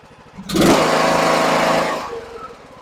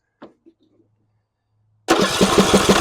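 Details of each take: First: John Deere E100 riding mower that had died while running with a puff of smoke, after a $12 part fix: key turned, engine catches quickly and runs with a steady even buzz before easing off; normal start and run. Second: John Deere E100 mower that died while driving with a puff of smoke: steady chugging cranking for about five seconds, then it catches and runs with the fuel shutoff solenoid unplugged; pump delivers fuel, so the solenoid is faulty and needs replacing.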